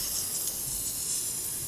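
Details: Home irrigation system rotator head spraying: steady soft hiss of water with no sputter or pulsing, even and consistent throughout; the head runs normally.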